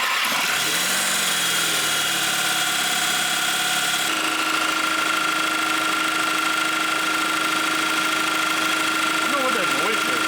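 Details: Audi A3 with junkyard replacement engine after spun main bearing, first run: steady idle with tinny metallic ring and rattle; flexplate bent during flywheel removal, suspected touching the flywheel.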